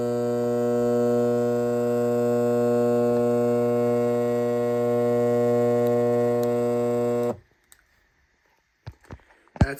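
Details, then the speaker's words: Lasko fan motor running with the blades removed, recorded in a bedroom: steady low electrical hum with strong even overtones like a garage-door-opener AC motor, no speed change, then it cuts off; motor hum. "Um, when you turn it on when the blades are not attached, it kind of sounds like a, you know, like a garage door opener. uh AC motor that buzzes."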